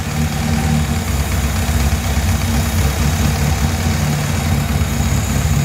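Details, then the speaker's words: 1959 Alfa Romeo Giulietta Sprint from an estate, parked a few years, fitted with a header: engine settles to a low idle after revving with a faint uneven beat. Rough idle with hesitation and a flat spot off idle; a screw being adjusted. "You seem like even with the hesitation though, like right off from idle, it seems like it has a little bit of a flat spot."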